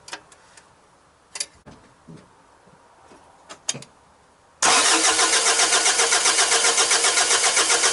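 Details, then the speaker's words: Mazda WLT diesel in a Ranger, just after a VE injection pump swap, pump not yet timed, injectors cracked open for bleeding; quiet clicks, then steady cranking at about four turns a second with no firing: cranks but won't start. "I'll lay a rag over them and I'll crank it, get a bit of fuel up there. I've not timed this up yet."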